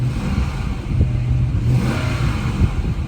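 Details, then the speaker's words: Ex-police car, V8, 2,415 idle hours, throttle blip: deep even rumble swelling smoothly, no knocks or ticks; engine sounds healthy. "That doesn't sound bad at all."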